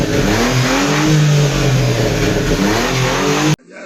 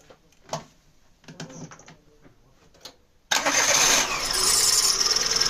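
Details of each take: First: Daewoo Matiz before muffler welding repair: loud, raspy blat rising and falling with revs, much louder than a sealed system; holed, leaking muffler. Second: Daewoo Matiz after muffler welding repair: quiet pause, then engine catches and settles into an even idle with a soft exhaust and faint transmission whir; clutch/basket noise mentioned; normal idle.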